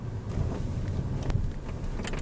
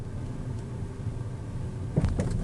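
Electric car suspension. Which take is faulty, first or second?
second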